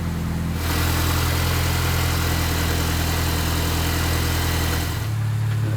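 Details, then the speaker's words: 2005 Mini Cooper S after alternator replacement, charging test shows about 14 V. Smooth, even idle with steady low hum, no knocks, misses or whine: normal idle. "All right, let's do this. Sounds good up front. That's charging."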